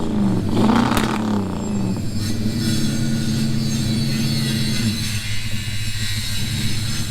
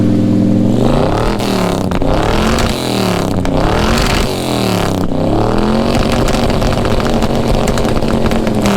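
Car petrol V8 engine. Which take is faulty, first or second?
first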